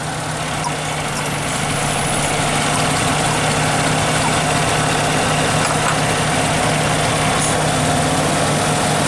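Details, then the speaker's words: 1997 Nissan Maxima V6 idling with a vacuum pump opening the EGR valve: steady low idle roughens and wavers as exhaust gas enters the intake, showing the EGR valve itself works. "definitely some change and install almost installed so the EGR valve itself seems to uh seems to work"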